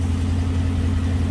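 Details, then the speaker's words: 1965 Ford Mustang V8, first start after years sitting, on a 650 CFM Street Avenger carburetor, still warming with slightly high idle, electronic choke uncertain: deep even burble, no misses or ticking; normal idle. "sounds pretty darn nice, if you ask me. That sounds a lot happier than with that other Summit carburetor we were."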